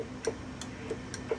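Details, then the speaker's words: Texas Star DX 65 CB amplifier under repair, run on low power: crisp regular clicks about three per second as the delay relay kicks in; normal. "sounds like it's when you turn the low part it kicks the delay on too"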